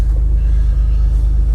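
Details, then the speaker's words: 2000 Jeep Wrangler TJ, cold weather, first start after no-crank/starter repair: deep steady rumble settling into smooth even idle, no knocks or misses; normal idle. "moment of truth let's see if it starts oh yeah we got our Jeep back guys"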